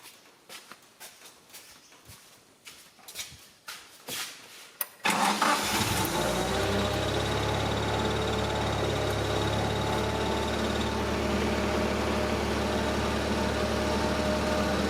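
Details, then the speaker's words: KATU 2.5-tonne forklift, heard from above the floor well: starts after a few clicks and settles to a steady run with a thin high squeal; owner suspects the clutch throwout bearing, clutch housing to be opened. "so that sounds like something to do with the throwout bearing so looks like this morning's job is to lift it back pull this floor plate out here pull this out and there is a top cover on the clutch housing"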